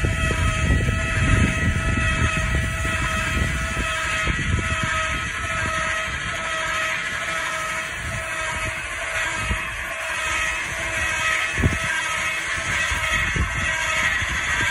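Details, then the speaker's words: 2012 Surveyor 304 trailer, stabilizer jacks lowering until they contact the ground: even electric motor whine at a steady pitch over a low rumble as they firm up, no straining; normal operation. "they'll contact the ground you'll hear some whining from the motor as it firms up and that's all you want"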